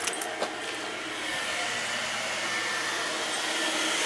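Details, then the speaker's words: House gas boiler that would not come on, test after replacing the faulty part that spun but didn't work, before sealing: a few clicks then a smooth, even rushing roar building and holding steady; boiler lit and running normally. "Alright, she fired up. Why don't we shut it off? I'll seal it, and then we'll be good to go,"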